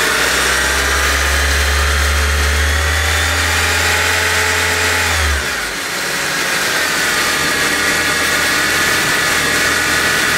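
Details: 2008 Honda Civic revving with a thin steady whine that follows engine speed, which began after new pulleys were installed; suspected belt pulley or accessory, unconfirmed.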